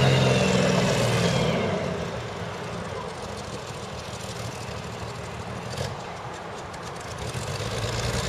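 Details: CVR(T) Striker FV102 Swingfire tank, August 2010: rough, uneven exhaust beat at about three and a half pulses a second with stumbles; misfiring badly, caused by a stuck valve; engine later replaced.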